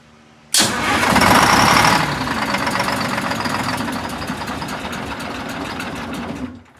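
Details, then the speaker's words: MCI 5C coach with Detroit Diesel 6V71, first start after a power upgrade: it fires abruptly and surges loud, then the beat weakens over five seconds and dies. It ran only on fuel left in the injectors; the fuel system needs priming. "just the fuel that was in the injectors so it's going to take a minute to prime it up"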